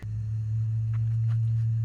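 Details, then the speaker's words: Classic Advance Design Chevy truck (1947-1954 era) with its battery on a 6-volt charger after replacing the cable ends: steady hum-like whine of constant pitch from the battery; check battery light keeps coming on, owner doubts it will take a charge. "but uh this uh battery's making sounds like it's some kind of ufo or something so i don't know if it's gonna uh i don't know if it's gonna take a charge or not"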